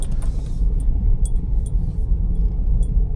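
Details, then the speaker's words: Vauxhall Corsa reversing slowly out of a driveway after the worn shock absorber top mount was replaced and tyres set to 32 psi: low steady rumble, the earlier front suspension knock gone. "Straight away I can hear that the knocking noise that it did have has disappeared."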